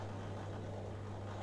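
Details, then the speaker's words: Miele washing machine after spider/shaft repair, running without water: quiet steady low hum, one even pitch, no grinding or knocking; drain pump motor running normally. "この音はドレンポンプのモーターから発生します。水を入れないのでエンジンから異音が発生する場合があります。"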